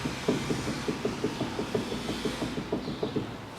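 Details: 2010 Daewoo Matiz, 0.8 petrol, manual, front-wheel drive, 145,000 km, raised with front wheels off: dull, evenly spaced clunks about three a second as the tie rod is rocked by hand; worn inner tie rod joint, worn boot likely let moisture in; tie rods and ends replaced.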